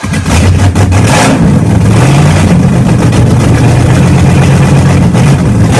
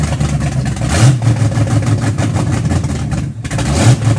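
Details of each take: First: Car engine first run after 3.5 years with a new starter, during camshaft break-in and with no exhaust fitted: very loud open-pipe rumble at a steady fast idle, even firing, no knocks or misses; running well. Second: Car "Betsy" after three and a half years off the road, new starter, camshaft broken in, idle timing set the day before: low, uneven lumpy rumble with surging revs instead of smooth idle; running rough.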